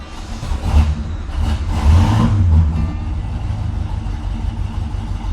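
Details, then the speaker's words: 1967 GTO, 400 cubic inch V8, after a no-start diagnosis: deep lumpy rumble with uneven pulses through a couple of blips, running rough on at best seven cylinders; misfire from a dead cylinder. "at best a seven cylinder 400 cubic inch engine, so it's going to run a little rough, but uh that's on."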